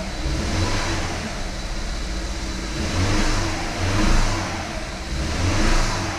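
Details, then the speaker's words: Rebuilt BMW 320i turbo after first start: lumpy running with surging revs and an irregular stumble as one cylinder misses; codes show cylinder 1 injector circuit open and cylinder 1 misfire; suspected coil or stuck injector. "Cilindro do injetor 1, circuito de vazão aberto. Uhum. Erro de ignição do cilindro 1."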